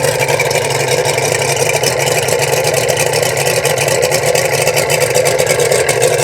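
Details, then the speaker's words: Boat outboard run on a windy day, forecast high 76 degrees: steady even running, regular firing, no misses, knocks or hunting, cooling water coming out so pump and thermostat work; left running a minute to get fuel through. "So that's what we want. We want that water to come out. So I'm just going to let it run here for a minute to get some fuel through it, and then we'll crank it off."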